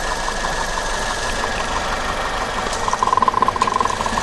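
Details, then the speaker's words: Maruti Ertiga four-cylinder 1473 cc petrol engine idling rough and lumpy with two cylinders' plug couplers removed, firing on only two; vibration much worse than with one cylinder removed. "Vibration ഭയങ്കരമായിട്ടുണ്ട്, അതായത് നമ്മൾ നേരത്തെ cylinder remove ചെയ്യുന്നതിനേക്കാളും vibration കൂടി."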